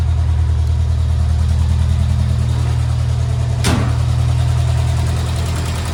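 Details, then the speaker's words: 1978 MG, first run after carburetor work, in neutral, warming up before retuning the carbs: steady, even low rumble with no knocks or misses; normal idle. "and look at that it's idling beautifully I'm going to let this run for a bit and get up to 10 so I can retune the carbs"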